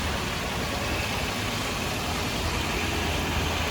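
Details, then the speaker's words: Toyota 4Runner 4.7L 2UZ V8 on a bare frame with the body off, first restart after fixing a shorted main ground. Smooth, even idle with a steady low rumble and no valvetrain ticks; run only briefly because there is no cooling. Healthy engine. "can't leave it running long because i've got no cooling in it but she sounds good there's no ticks it's awesome"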